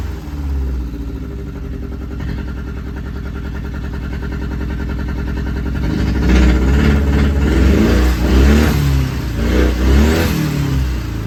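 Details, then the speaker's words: Datsun 280Z with a transplanted turbocharged Audi engine, first run after nine months, with the exhaust not fully fitted: lumpy uneven beat stumbling every few revolutions, a clear misfire. "so we got a very clear misfire somewhere sorry at least it runs I need to put the whole exhaust on it sounds like crap"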